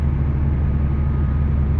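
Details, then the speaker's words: Proton Waja manual (MMC engine), remapped ECU, Mitsubishi Airtrek throttle body fitted, engine warm: steady, even idle hum sitting noticeably high with no dip or hunt, idle step motor not closing (60+ vs about 26); high idle suspected from the ECU remap, same with A/C on. "So I rasa mapping sana dia ada mungkin ada isu sikitlah mapping draf tu dia untuk tu dia tinggi sangat."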